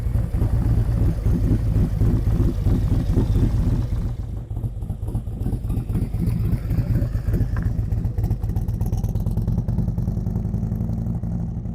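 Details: 2023 Harley-Davidson Street Glide ST Stage 2 (CR483 cam, Bassani header, ThunderMax) on cold-day road test: deep even thump pulling steadily, no knocks, ticks or misses; rider reports it needs nothing, normal running.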